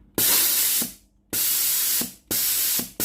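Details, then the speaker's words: Philips GC9622 steam iron, solenoid water valve tested via a pipe connected at the valve outlet: three strong, full hissing steam bursts about a second each with clean cutoffs; steam reaches past the pipe length, valve normal. "When the steam is out, I will press it to see the strength of the steam."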